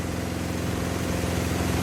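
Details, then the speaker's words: Samsung washing machine on spin with clothes loaded under a cover; loud steady roar with a rough low drone like a small generator, building over about 10 minutes of spin; cause not clear. "ये हो क्या रहा है guys? भाई ये washing machine नहीं, generator है। Generator."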